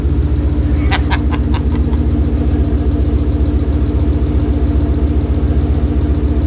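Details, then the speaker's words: Coyote V8 swapped Fox-body Mustang wagon at its first start after the swap, coolant still being bled; deep, even burble idle with a few brief clicks near the start, running smooth and steady. "Damn, that thing runs smooth."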